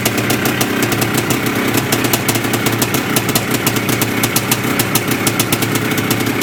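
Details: Yamaha IT490 two-stroke single after engine install and rebuild, running 40:1 premix after a few heat cycles, with a temporary silencer stuck on; crisp, rapid ring-ding popping at a steady idle with an even rattle on top, running cleanly.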